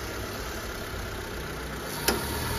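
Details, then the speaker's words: Mitsubishi Lancer Cedia 4G18 at idle after a fuel pump replacement and ECU reset, with the air-con switched on. A soft click is heard as the AC engages and the revs hold steady without dipping, so it is a normal idle under AC load. "aircon, narinig nyo? Nagbumukas yung, umigop yung hangin, no?"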